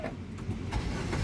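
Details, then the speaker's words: 2013 Nissan Serena 2.0 Highway Star automatic (C26), about 100,000 km, push-button start: brief crank that catches almost at once and settles into a low even idle; a crisp start, not hesitant, so battery and starter sound fine; normal engine start. "Nah, pada saat kita nyalakan mobil, pastikan bahwa nyalanya itu jreng. Karena apa? Kalau dia nyalanya tersendat, berarti ada kemungkinan permasalahannya di akinya sudah soak atau dinamo starternya yang bermasalah, jadi perlu diservis."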